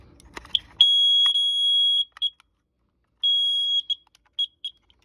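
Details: Kara carbon monoxide detector after installing AA batteries: long shrill beep, short chirps, another long beep and chirps; normal start-up self-test, working properly.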